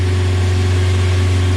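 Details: 1994 Geo Tracker with a swapped 2.0 engine, first start, tach showing 3,000: steady, even low hum with no misses or knocks. It is smoking, and gasoline is dripping from a fuel return line left unconnected.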